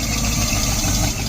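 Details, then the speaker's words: 1972 Barth motorhome engine, first run in 15 years, electric fuel pump: short stretch of even, steady idle holding on its own without throttle help, no stumbling or dropouts. "look look I can go all the way back here and it runs I'm not helping it it's alive it's alive"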